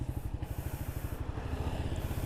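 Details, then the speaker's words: Suzuki GSX-S150 at 35,000 km, weak intermittently charging battery: fast low starter cranking pulses with a coarse grating edge; owner unsure why the starter sounds rough, possibly the starter motor. "Kalian dengar kan tadi, semoga dengar ya. Sama starternya tuh agak kasar gitu."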